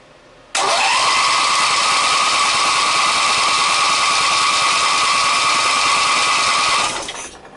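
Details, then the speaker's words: Briggs & Stratton opposed twin with dual carburetors and dual exhaust, chokes out: steady electric-starter whir for about six seconds, even and unbroken, with no firing pulses; it cranks but gets no spark. "happens almost sounds like it's got no uh spark"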